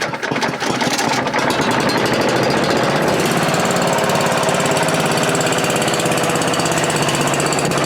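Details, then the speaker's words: Manco Rattler II go-kart rescued from a scrapyard, still cold, with a carb that has no choke. The small single revs hard and uneven with irregular firing pulses; no smoke or ticks and it accelerates well, but idle is rough when cold. "so so didn't run too too bad we'll have to see you know he saw no smoke it's not making any ticks it accelerates good it's still a little cold so maybe i gotta wait for it to warm up because this is not a carburetor with a choke on it"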